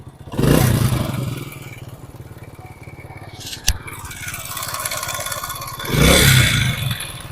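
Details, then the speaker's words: Motorcycle engine at idle with throttle blips: fast metallic clatter that swells with revs, from a loose timing chain; fix is fitting a spring. "तो आवाज देखी आपने कितनी ज्यादा खतरनाक आवाज है। आवाज हम खत्म करेंगे सिर्फ ये स्प्रिंग लगा के।"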